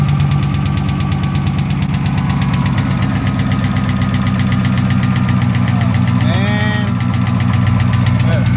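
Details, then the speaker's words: Dodge Scat Pack V8 started on a jump after a fuel pump replacement attempt, battery very dead: sharp fast tick about four per second over a rough idle, loud valvetrain-type ticking, cause unknown. "not good guys why is the we here ticking coming from this damn motor that's a tick that's a bad tick I don't like it at all"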